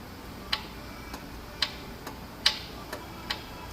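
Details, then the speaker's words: Ford 2.7L EcoBoost running: sharp light ticks about twice a second over a steady engine hiss, a lifter-like knock at the front right of the engine, not the VCTs; lifter tick suspected. "It has a lifter like knock up towards the front of the engine, right side, and it's not the VCTs."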